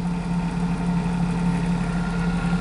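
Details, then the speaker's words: Flux gate generator DC motor from car battery, output load (LED lamp) connected, current stays about 6 amps; steady low hum, even tone, no pitch change under load, motor struggling and drawing heavy current. "wow not really and it's yeah kind of the same as 6 m"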